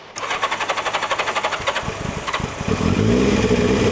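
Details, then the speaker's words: Turbo Yamaha not run in 40 years, carbs cleaned of debris so fuel now reaches them: about four cranking beats, then it catches and settles into a rising, steady run, a normal start. "This is good. I think I just need to get this heat into it. >> Ah, she held her pretty nice. Saved itself."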